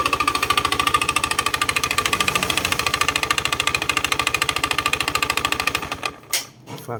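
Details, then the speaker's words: Honda Scoopy i idling with a fast, even plastic clatter; cause is the loose engine air shroud, with wear in its three bushings letting it shake at start, so the fix is tightening the bushings. "ครับผมอ่าสาเหตุของเขามาจากไอ้ัดลมตัวนี้นะครับมันจะมีการหลวมด้านในครับมีการฝึกหลอของบุธ3ตัวนะครับ"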